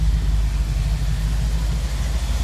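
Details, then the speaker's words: Jeep CJ7 idling with two 30-inch glasspacks temporarily slipped onto the tailpipe for a final exhaust-leak check; deep, muffled steady thrum, less noise up front, no ticks, leaks or knocks heard; valves good, normal idle. "there's less noise up front with all that muffled I don't hear any ticks or leaks or knocks"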